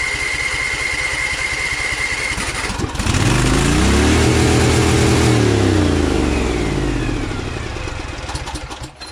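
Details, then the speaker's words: Overhead-valve lawn tractor engine with 38-inch deck, throttle at lowest and choke on: climbs to a high screaming rev, holds and only slowly drops back; engine overspeed, owner suspects the governor is disconnected, not confirmed. "It still goes out of control with the choke still on too. It's worrying me a lot. Sounds like the governor is not connected."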